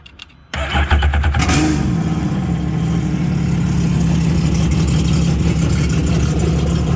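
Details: Sea-Doo XP X4 with swapped-in Spark ACE 900 four-stroke, first fire-up on Yamaha flush adapter testing open-loop cooling for leaks; cranks briefly, catches cleanly, settles into steady even idle with water flowing, low fuel; normal start and idle.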